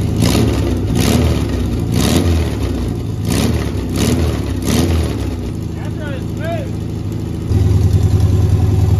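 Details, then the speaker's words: 1971 VW Beetle air-cooled flat-four, parked 23+ years, running on a new carburetor, correct coil, new wiring harness and electronic ignition conversion: catches after a few blips and settles into a steady, even idle with no stalling; normal running. "Way better. Sounds good too, doesn't it? Mm-hmm. Really good."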